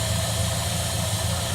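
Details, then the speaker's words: Dodge Monaco V8 after new plugs, distributor cap, rotor and leads, with ignition timing set by turning the distributor and idle speed lowered. Even, steady idle with smooth low beat, no hunting or surging; timing still sounds a touch late. "you can hear the engine smooth out it's not hunting"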